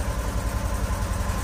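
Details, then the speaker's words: Subaru Forester boxer, high mileage on LPG, first start after months with weak battery: lumpy shaking idle, one cylinder dropping out, running on three; owner suspects burnt valve, compression test planned. "Οπα. Κι όμως πήρε. Πήρε να δουλεύει τρικύλινδρο."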